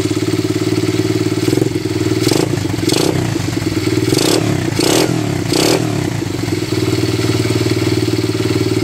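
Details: Honda XL70 pit bike with Chinese 125cc engine, choke on, after clutch fixed: small single chattering at steady idle, then quick blips rising and falling cleanly before settling back; runs fine.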